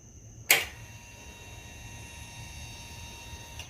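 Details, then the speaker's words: 2008 Yamaha V-Star 1300 Tourer, no-start with no fuel, after fitting a new higher-grade fuel pump with a temporary fuel line to the reserve tank: click at key-on then steady high hum about three seconds; pump priming normally. "So now I should be able to turn the key and it should prime. And yeah, should get fuel. Oh yeah. Oh, I hear it pushing fuel."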